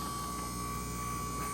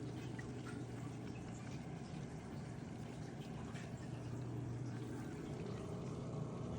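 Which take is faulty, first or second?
first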